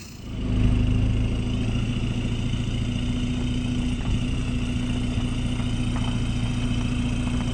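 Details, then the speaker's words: 2011 Audi A3 common-rail TDI diesel after clogged-DPF delete pipe install and tune: catches after brief crank, settles to steady low idle with light clatter; normal diesel idle. "It's more fun around town. It sounds way better. It doesn't sound like a vacuum anymore."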